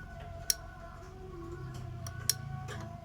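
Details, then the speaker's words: Honda PCX 150 keyless that won't start, starter relay bench-tested with voltage applied: three sharp clicks as the coil pulls in, but the ohmmeter shows no continuity, so the contacts never close and the relay is bad. "Sekarang, terdengar suara klik. Namun pada multimeter, pada skala ohm, jarumnya tidak bergerak."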